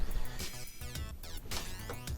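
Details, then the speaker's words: Dead Galaxian Kamikaze bootleg arcade PCB with pins bridged across a buffer chip that has input but no output: broken electronic chirps and sweeping bleeps that never settle into the normal startup sound. It tries to boot and can't; the buffer chip is bad. "And you can see here, if I bridge them, it's trying to make that sound that it normally does when it wants to boot."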